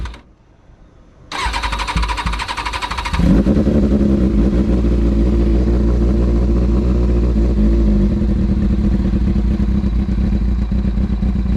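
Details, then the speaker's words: Kawasaki Ninja ZX6R carbureted motorcycle, cold start on choke after rebuild: brief cranking, then it catches and runs with an uneven, lumpy beat; it runs rough when cold and fine once warmed up. "thing runs like ass whenever it's cold. Alright, I'll be right back whenever this thing warms up."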